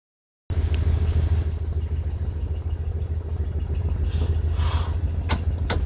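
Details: 1992 Ford Econoline E-150, 4.9 L inline-six, idling rough in both drive and park since Hurricane Irma. A low, uneven, lumpy beat under a steady drone, shaking rather than smooth. A Lucas oil additive did not help, and the cause has not been found.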